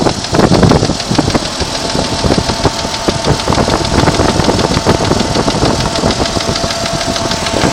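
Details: 1992 Jeep Cherokee idling with a fast, sharp ticking that keeps pace with the engine; strange top-end ticking, cause unknown.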